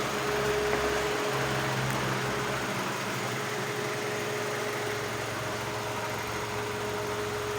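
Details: Hyundai Elantra after a no-crank no-start repair: steady, even running hum with a faint constant whine on top; no knocks or misses, idling smoothly.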